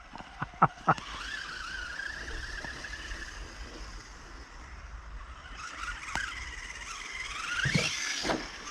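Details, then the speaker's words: Kyosho Outlaw Rampage Pro RC truck, 3660 2750kv motor, 32dp module 0.8 gearing: faint high whine rising and falling with throttle over tyre scrub, still present but much reduced from before. "Alors, on a toujours un peu, ouais, le sifflement, hein, mais c'est vraiment beaucoup moins qu'avant."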